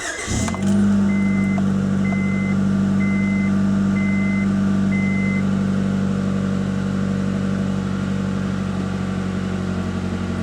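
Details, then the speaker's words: 1994–1997 Honda Accord idle with a damaged muffler: loud droning, raspy exhaust leak, noise increases on deceleration; muffler to be replaced. "here we have a leak somewhere it actually sounds worse on camera than it did in person you can really hear the noise increase on deceleration"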